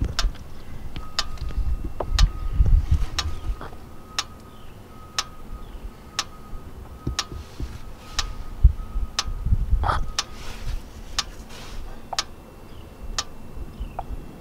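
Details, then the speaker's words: Kia Forte with code P0017, ignition on and engine off, during a scan-tool actuation test of the oil control valve: crisp clicks about once per second, evenly spaced. The valve is switching and not stuck. "And we can hear it clicking audibly inside the engine. So we know that the valve is actually working."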